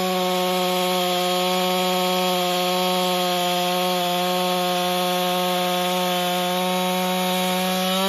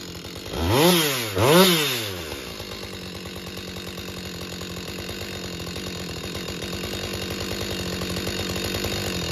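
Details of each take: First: Husqvarna 562XP chainsaw after repair (bent decomp valve air leak found, piston replaced, pressure and vacuum tested; autotune settling in): holds a clean, steady high pitch through the cut with no stumbling or surging; runs healthy under load. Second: Husqvarna 562XP chainsaw, hard to start and won't idle, found with an air leak at a bent decompression valve and fuel filter changed: two throttle blips, then uneven lumpy idle that wavers, ready to stall.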